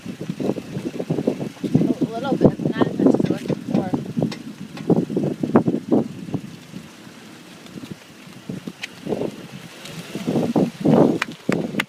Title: Creaking Brake noise on G37x (#2)